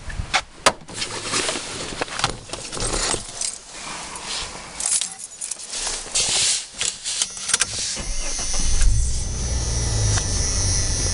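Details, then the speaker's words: Jeep Cherokee 4.0 started just after an oil change with Rotella, about 5 quarts, filled to the top of the safe line. Keys rattle, the engine catches promptly and settles to a steady idle, no clunking, clinking or ticking. Normal start and idle. "I'm not hearing any clunking, clinking, anything like that."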